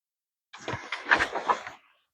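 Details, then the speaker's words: Car engine idler pulley spun by hand, bearing has play: brief gritty rough rumble dying after a second; worn idler bearing, needs replacement or pulley and belt may come off. "That bearing is bad. Fry. Needs to be replaced. If this bearing comes loose, this pulley will come off and your belt will come off."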